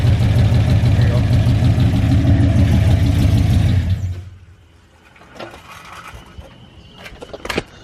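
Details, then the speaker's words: Big-cam GM 5.3 V8 in a truck, first start after swap: strong lumpy heavy-pulsed idle for four seconds before shutdown, running on only four cylinders because the DOD valley connector was unplugged. "That's why it was taking so long to frickin' warm up. Yeah, it's only running at 4."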